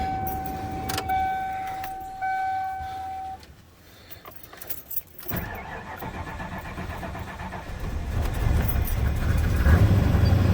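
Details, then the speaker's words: Truck "Missy" started after sitting about 6 months, usually hard to start: keys rattle, chime, cranks, catches and runs uneven and ragged; sounds bad due to multiple open vacuum leaks, replacement parts waiting. "Hey, she started pretty good today. You know, sounds like hell. The reason she sounds like hell is because it's got multiple open vacuum leaks, and there's boxes of parts there that are going to go into her."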